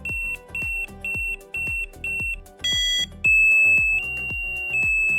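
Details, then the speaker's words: EESENS Guardian alarm, remote device button set to green light: loud high-pitched electronic tones, five even beeps, then switching through different siren patterns as each press cycles the sound; siren tone selection, working normally. "Press device button on the remote to select the green light, which play the selected sound."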